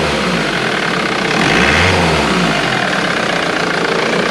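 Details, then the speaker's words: Ford VH Transit diesel van after its pump timing solenoid was replaced, which had caused a loud diesel knock, power loss and code P0149: it starts, idles and revs briefly with no rattle or smoke; normal diesel idle. "try and start it yep it didn't rattle can you rev it a bit"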